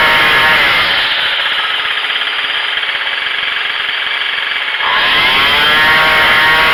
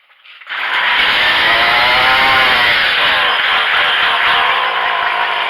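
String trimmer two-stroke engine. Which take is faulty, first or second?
second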